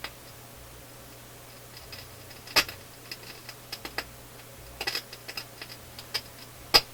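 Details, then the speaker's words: Philips console stereo receiver on auxiliary input, heard at the speakers: low hum with sharp irregular pops and crackles from both channels, mostly one channel, intermittent source not yet found. "ears up near the speakers and there is crackling coming out of both speakers but it's not the same crackling mostly out of the other this way channel"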